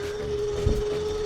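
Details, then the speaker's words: Rinkmo S3 budget all-terrain e-bike climbing a 20% hill, above its 15% rating, in lowest gear with 4 battery bars and the rider pedalling hard: steady mid-pitch hub motor whine with a few low thumps; motor straining under overload. "It's not liking that one bit. Okay. 8 and we're to the top."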